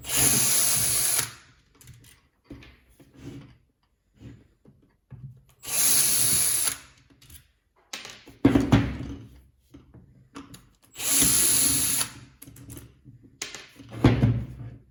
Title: How to Repair a Jet Stone Making a Rattling Sound? Part 2 Makita 9558